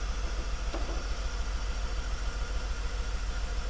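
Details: BMW E46 330Ci Clubsport with M54 engine, off the road 7 years, cone filter fitted, MAF reading zero and unplugged with no change; rough idle with a steady, slightly uneven low thump about three and a half beats a second; engine misfire at idle.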